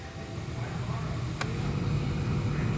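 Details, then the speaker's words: 2011 Honda Fit, 181,000 km, blower fan that only worked on high, after installing a replacement blower motor fan: steady even low hum with no rattle, tick or squeal; quieter than the old one, normal operation. "all right blower motor fan is in survey says it is quieter yeah it is quieter"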